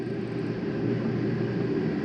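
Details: 2020 Gateway 3905FLG RV, air conditioner kicked on from the hallway thermostat: even, steady whoosh of fan and compressor starting with no rattle or squeal; the unit starts normally.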